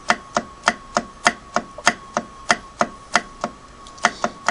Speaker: I actually think that the main horizontal shaft that round shaft you see there that runs m2m from the hand wheel up to the needle bar crank if that's actually loose I can move it back and forth there's play in it